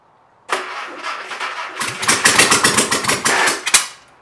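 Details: Mystery VW air-cooled engine (not a 36 hp) out of a 1959 rag top, hot-wired to coil and push-button starter: catches after a second, then runs in uneven, stumbling pulses about four a second, blowing heavy smoke; lumpy firing suggests one dead cylinder.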